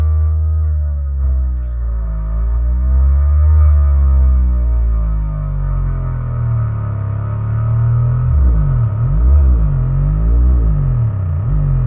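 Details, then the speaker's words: Pyle PLQB10 10-inch subwoofer under a bass test, after it was blown and smelled burnt: deep bass notes with a loose, buzzy rattle, as if something is loose inside the speaker; blown subwoofer. "it's still going it's just rattling like crazy it sounds like something's loose inside the speaker"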